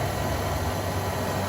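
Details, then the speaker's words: 1988 Ford Econoline E150 4.9L idling after a new serpentine belt replaced a squeaky one that belt dressing had not cured: low, steady idle rumble with no belt squeal or chirp; quiet and smooth. "wow she's as quiet as ever let's hope she stays like that all right guys uh that should be the end of my Saga with the squeaky belt"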